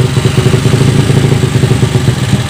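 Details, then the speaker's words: Yamaha Vega ZR with swapped Mio 200cc cylinder, PE26 carb, Shogun ignition, undersized exhaust, first start after long storage; lumpy pop-pop idle with clattery edge and hunting rhythm; lean-running untuned carburettor. "pasti mesin ini masih bisa hidup dan norma ya cuman karbunya belum sesuai"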